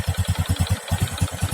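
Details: Reassembled motorcycle single-cylinder engine after a piston knock repair, idling with an even steady beat around eleven pulses a second, no knock or clatter; smooth idle.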